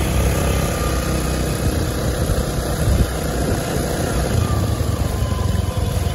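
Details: Honda Beat automatic scooter after repair of worn, eroded final drive ratio gears, riding: steady low engine drone and road rumble with no whine rising with speed. Final drive sounds normal.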